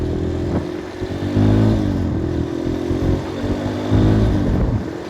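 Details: Kawasaki KLX 150 single-cylinder, with new cylinder block and new carb: revs climb and fall cleanly through several throttle blips with no stumbling or cutting out; runs normally.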